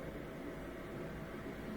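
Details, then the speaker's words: Miele Incognito dishwasher with F-08 error, previously circulating 10 seconds then pausing: steady low whoosh and even pump hum running continuously without cutting out while filling; circulation pump normal. "but i think it's continually circulating now"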